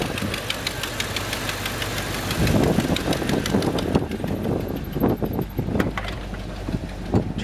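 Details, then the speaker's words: 1984 Chevrolet Silverado C10, all original, at idle with the hood open: sharp, quick ticking in time with the idle over a steady rumble, from a small exhaust leak. Exhaust manifold leak. "you can hear that little exhaust leak sounds like it's coming from right about here"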